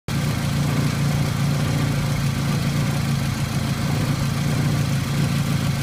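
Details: VW ABA engine swap idling with a bad misfire: lumpy, uneven idle with irregular stumbles; fuel pressure bouncing, owner unsure if normal or a failed injector or fuel pump.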